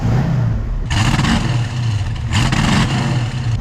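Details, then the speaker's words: 1971 Ford Mustang convertible 302 V8, 180 psi compression on all cylinders, accelerating past half throttle: runs rough and uneven with ragged bursts breaking up the pull, a bad misfire under heavy throttle; cause not yet identified. "it's misfiring really bad. So I think this has got more power in it."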